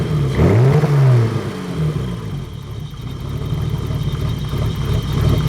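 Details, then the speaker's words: BMW E30 with hard starting/flooding issues; idle rises and falls in an uneven, lumpy lope like a big cam, surging and stuttering; cause unknown, owner doesn't know where to start. "now it's loping. Sounds like it's got a cam in it."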